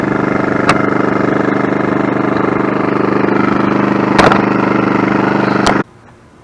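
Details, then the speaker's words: Champion inverter generator after pull cord housing replacement and reassembly, started with choke and fuel cap vent open; steady smooth drone, no knocks or misses, then shutoff — normal running, purring quietly. "There we go. Purring like a kitten. Love how quiet these things"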